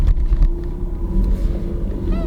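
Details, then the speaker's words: Used Toyota Camry reversing with a brief high squeaky creak from the steering wheel as it turns, plastic rubbing inside the column, over low engine rumble. "And that wasn't me. That's the steering wheel. These things all creak when they get home."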